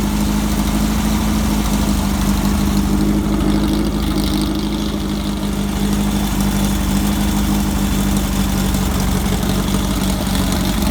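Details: Red buggy's air-cooled engine just got running after turn-signal wiring was finished: steady, even idle with a low constant hum, no misses or knocks; running fine.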